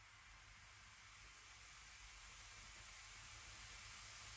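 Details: AP Inspiration CCR rebreather build-up, opening a cylinder to analyze and pressure check it (210 bar, analyzer reading 21.1%). A steady, even high-pitched gas-flow hiss with no sputter or whistle: normal flow.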